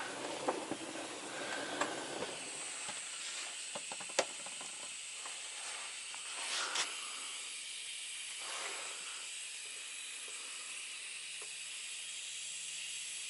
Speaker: air leaks can be very mysterious it's a lot of fittings on a truck lot it seems like you find one and then it's you fix it and then there's another one you can hear it up here